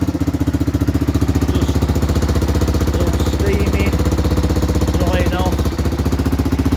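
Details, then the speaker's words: 1978 Honda XL250 barn-find motorcycle after timing chain check, running on battery with a loud SuperTrap exhaust: steady, fast single-cylinder thump about four pulses a second, even and unbroken with loud open exhaust bark; sounds healthy. "we've got the battery on it now we've started warm up one sounds good as well all right that's both of them running both sound totally different"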